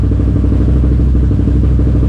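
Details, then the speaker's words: Can-Am Renegade race quad after a new pitman arm and alignment: a loud single-cylinder idle with an uneven, lumpy beat and brief stumbles, rough at low RPM; owner suspects the throttle position sensor. "Idle just keeps skipping on it. You can hear it drop off right there for a fraction of a second."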